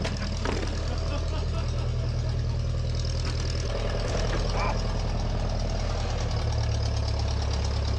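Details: 1956 Case 420B running after the bent crown washer under the distributor rotor was flattened, restoring spark; a steady, even, low rumble with no misses or stumbles, running smoothly at idle.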